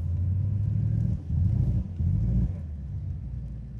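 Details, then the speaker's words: Shelby Super Snake widebody Mustang, supercharged V8 over 800 hp, in limp mode after a drag run, wrench light on: deep rumble running rough and uneven with stumbles of a misfire on one bank. "and then uh It said c manual yeah and it gave me the spanner and then it caught the power on that side misfiring it is misfiring right now you can hear it misfire when it runs"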